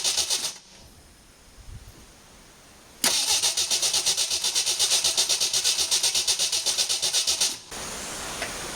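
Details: 1981 Jeep CJ8 Scrambler, AMC 258 inline-6, after Ford TFI ignition conversion: brisk, even cranking about four turns a second, never fires; no spark found at the coil, cause not yet found.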